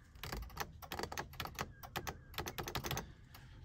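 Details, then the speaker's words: Salvaged wrecked 2001 Cummins manual with the engine off and corroded batteries charging: sharp dry clicks in uneven bursts over a quiet background. It is the aftermarket alarm relay ticking; the owner was initially unsure of the source. "hopefully this doesn't have like some type of electrical problem huh yeah gonna need some help on some of this stuff i don't know what that ticking noise is"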